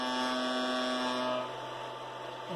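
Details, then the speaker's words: Anycubic i3 Mega 3D printer starting a print. A loud, steady buzzing hum with a tonal edge that grows as power increases and eases when the frame or platform is pressed. The frame is resonating; source not yet found. "I start up the print for example when the power power increases I'm going to hear that well on the camera but something is vibrating if I am a first on the platform or the bottom here yeah you can notice that the vibrating sound goes away so it is really loud I don't know something is making this entire thing vibrate"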